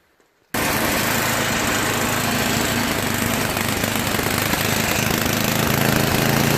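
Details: Yard Machines MTD 8HP 24" snow blower after repair (oil leaked from the cracked breather overflow tube, which was rerouted; carburetor cleaned, oil changed, primer fixed): catches at once and settles into an even single-cylinder chug with no misses or surging. Normal running.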